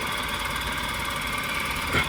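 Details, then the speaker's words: Maruti engine at idle after a faulty middle ignition coil was replaced, a coil swap having shown it was the fault: smooth, even idle hum; earlier shaking and chuffing exhaust are gone, misfire fixed. "देखो गाड़ी की वाइबेशंस खत्म। मतलब इतने हिस्से में जब मैं पीछे अब जाके दिखाऊंगा। यहां जो छू छू छूछू हो रहा था वह खत्म हो गया।"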